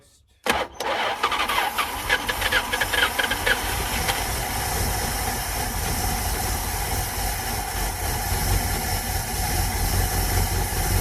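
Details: 1973 Plymouth Satellite first start in 39 years: short crank on a fresh battery, it catches at once and settles into an even, steady idle with no knocks or stumbles; runs smoothly.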